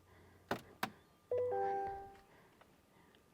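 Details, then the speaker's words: 2024 GMC Sierra 1500 AT4X, 3.0L Duramax LZ0 diesel, about 30,000 miles, after fuel filter change: start button held without brake, two relay clicks, then a thin brief whine as the lift pump primes the filter housing. Normal priming. "you'll kind of hear it start priming. Hear that little whine? That's the fuel pump."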